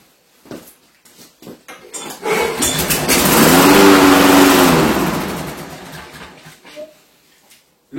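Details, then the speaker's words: Briggs & Stratton Quantum lawn mower: a few primer pump clicks, engine catches and revs briefly while primed, then winds down and dies; clogged carburetor jet. "c'est votre carburateur qui est bouché principalement votre gicleur"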